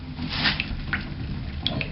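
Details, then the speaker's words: Bathtub after snaking hair from the drain and replacing the corroded overflow plate assembly and trip lever: water swirls away with steady gurgling and a few glugs, draining freely. Normal tub drain. "It's going down. And I don't know if you can hear it on the camera, it's making that gurgling sound, and you can see it swirling around."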